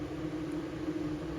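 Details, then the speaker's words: MaxxFan Deluxe 10-speed roof vent fan, exhaust (air out) mode, starting at 10% speed: steady even whoosh with smooth motor hum, no rubbing or ticking; nearly inaudible at low speed, normal fan operation. "so right now it's the air is going out it's got 10 speed so it's at 10% right now so take a listen to it you can't hear anything"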